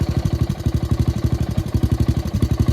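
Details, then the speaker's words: Gravely tractor engine left idling to run its tank dry: low thumping idle with uneven beats and occasional dropped pulses, missing as it runs out of gas; misfire from fuel starvation. "sounds like it's running out it's missing"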